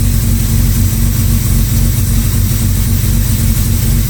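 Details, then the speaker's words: Jaguar Series 1 XJ6 first cold start after sitting 21 years, choke wires reconnected, carburettor had been flooding with fuel likely in the oil; cold idle with a loose, lumpy chug about twice a second that never settles: uneven idle. "that's fresh cold and hear that chug's still going"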